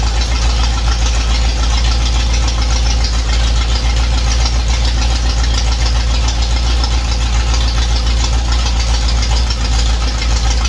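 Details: V8 idling loud and steady after an intake leak repair: silicone applied to the intake, heads and block top on both sides, then torqued. Even rumble with no knock or miss, and no new leaks so far. Normal idle.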